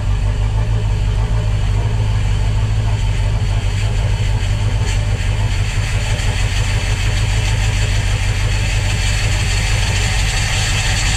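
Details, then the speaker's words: Volvo Penta 5.0 GXi marine engine first start after replacing throttle position and MAP sensors, checking injectors and compression test; deep, uneven idle that lurches and stumbles, running very lumpy, owner suspects because plugs and everything were dried out. "well there we go she fired up she ran very Lumpy but it's the longish is ran but that's probably because I dried everything out all the plugs were all dry and cleaned up"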